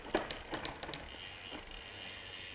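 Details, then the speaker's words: Bicycle rear derailleur after backing cable tension off about half a turn to stop overshifting: crisp separate shifter clicks, each followed by a short chain rattle onto the next cog; clean indexing, one gear per click. "just to make sure we're getting one Gear with every click like"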